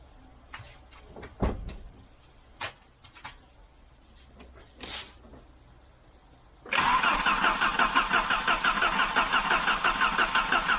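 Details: 1988 Volvo 740 GL with a 2.3 petrol B230F engine, stored almost 10 years, first start attempt: starter spins the engine at a steady, even chug of about three beats a second but it never catches; the fuel pump was then tested and replaced.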